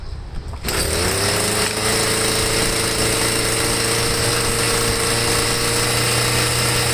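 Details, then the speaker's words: Stihl MM55 sweeper with a Hipa C1Q-S97 carburetor: catches and holds a steady high buzz, never dropping to idle; throttle cable backing plate out of its notch, later reseated and idle screw readjusted. "okay so except for the mess up i did on this with the um with that backing plate it holds the throttle cable on it i didn't have it in a notch right three times"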